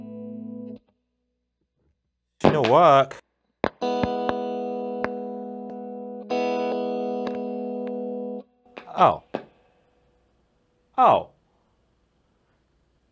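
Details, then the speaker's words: MXR Phase 90 EVH phaser pedal under repair, played through a guitar: sharp irregular pops cut through held notes, caused by a low battery; popping stopped once on a power supply. "Hear the popping? I'm an idiot. It's a low battery."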